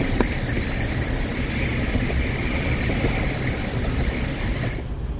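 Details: Jeep Wrangler Unlimited JK with a 50-inch LED light bar on the roof, while driving: a steady high whistle over road rumble as wind hits the light bar. The fix is tilting the bar down slightly.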